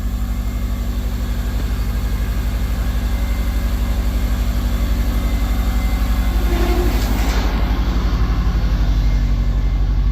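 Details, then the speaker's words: Subaru 2.5RS rebuilt engine, first start after reinstall, warming up before shutdown: steady, even idle with smooth regular pulse, no ticks or knocks; owner says it sounds really good, normal idle. "this thing sounds really good yeah it does holy crap right on sounds really good nice that is awesome"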